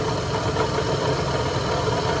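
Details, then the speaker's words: 1988 Ford E150 van, 4.9L six-cylinder, battery drains and tester shows overcharging at 16 V: steady idle with a busy bearing-type clatter from the front accessories; owner suspects a bad alternator, possibly the water pump. "Alright, I think we have a bad alternator. And that might be the racket you hear. My bad water pump, but it might be the alternator."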